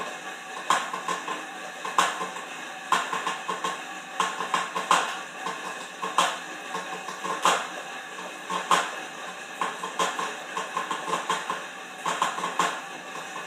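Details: Horizon M4 exercise bike in use: loud metallic clanks in a steady cycle, about one per stroke every second or so. The cause is unknown.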